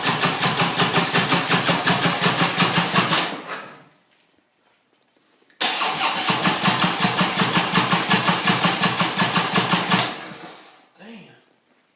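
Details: Harley-Davidson motorcycle: two long bursts of starter cranking at about three compression pulses a second, never catching; it cranks but won't start, with a strong raw-gas smell from the engine; cause not confirmed.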